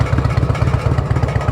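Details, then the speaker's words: Harley-Davidson Road King on a test ride after extensive repairs: fast, tinny, metallic rattle over the lumpy V-twin idle; suspected loose exhaust baffle, and exhaust discoloration hints it may be running hot. "So, educated guess? That's a loose baffle. So, we're going to have to let her cool off and check that thing later. You can definitely hear it rattling in there."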